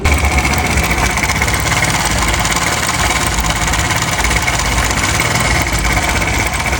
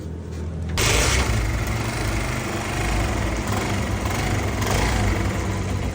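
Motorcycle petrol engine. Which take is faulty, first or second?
first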